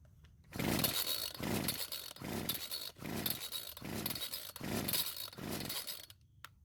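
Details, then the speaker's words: Old Homelite string trimmer, fuel lines possibly fitted backwards: about seven rasping starter pulls, roughly one a second, engine spins without firing at all; cranks but won't start, owner suspects flooding or a non-working carb. "So unfortunately, it didn't even try and start, so I might have flooded the engine."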